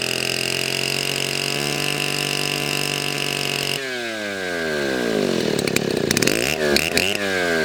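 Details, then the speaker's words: YZ6200 62cc two-stroke Chinese chainsaw, hard-nose bar, chain resharpened to 30 degrees; loud clean scream holding near 8,500 rpm high end, then a blip and falling revs with no bogging or misfire: normal high-rpm running. "but you can hear it run now, and it runs a whole lot better. 8,500 RPMs at the high end, and it is loud, hence the earmuffs."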